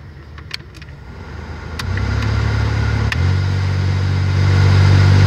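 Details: 2007 Toyota Matrix cabin: switch clicks, then a deep droning hum stepping louder as AC blower speed is raised; noisy blower fan motor.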